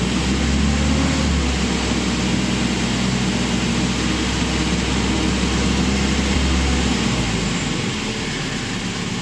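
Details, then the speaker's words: 1972 MG Midget 1275 engine at warm tick-over, choke off, after fitting three new throttle springs near the heat shield: steady, even low hum with no rattle or knocking. "So we're inside here, the engine's ticking over, choke is not engaged, and let's see if we can hear the rattle."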